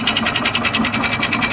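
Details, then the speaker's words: Type 4 VW 2056cc engine with 96mm big bore cylinders, first start after rebuild: fast, even light ticking about eleven per second over idle. Something is rubbing; location found, fixed right after. "Oh, we have some rubbing issues. I can hear it. Right here."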